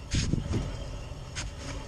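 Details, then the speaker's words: 2011 Nissan Altima, rear wheel jacked up and spun by hand: rough, uneven grinding rumble instead of spinning freely, indicating a bad rear wheel hub bearing. "And that's how you can tell if you got a bad wheel hub right there."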